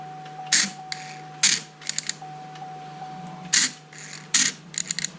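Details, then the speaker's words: Short bursts of rough whirring with each button press from the removed old passenger-side door lock actuator of a 2004 Chevy Avalanche; gears crunching inside, actuator worn out, being replaced. "Kind of works, but inside that motor you can hear some crunching for sure. Say the actuator's done, and hopefully the new one will do the trick."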